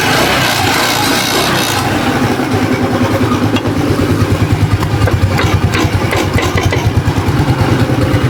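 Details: Rusi Breeze 150 scooter after repair (rocker arm with seized bearing replaced, new cam chain, tune-up): steady, even idle with a soft regular beat and no knocking or rattling from the head; healthy.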